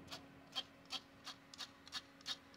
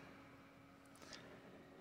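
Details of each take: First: MSI laptop GPU cooling fan running before repair: dry scraping rasp about three times a second over faint hum; off-balance fan blade rubbing its housing. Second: MSI laptop CPU fan after repair of an off-balance, whirring fan, running on mains power: a quiet, steady, even whir with a low hum and soft airy hiss, no ticking or rubbing; normal.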